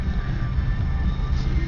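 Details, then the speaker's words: Buick Regal supercharged 3800 Series 2, about 235,000 miles, cold start in snow after fixing a rough idle: steady low hum at slightly raised even idle, no dips; normal cold high idle, previously surged between near 0 and 1,500 rpm. "Engine's decently cold, so it's going to be a little bit higher. It goes into high idle when you start it."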